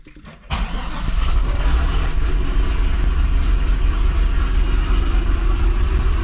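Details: 2005 Chevy Corvette on 2-inch headers, first start after welding new V-band flanges to fix two big exhaust leaks; fires instantly into a steady, even rumble with no ticking or puffing; hesitation mostly gone; normal startup.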